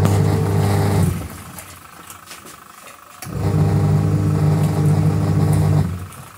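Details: Panasonic twin-tub washing machine bought December 2017 developed, about six months later, a loud rough humming with a coarse rubbing, worn-sounding buzz when the wash motor runs.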